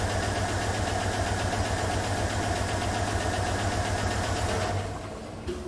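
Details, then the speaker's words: 2007 GM 5.3L V8 with AFM/Displacement On Demand idling with a sharp, steady tick about four per second: collapsed AFM lifter, associated with misfire codes. "that ticking is the lifter now these displacement on-demand vehicles they have two types of lifters"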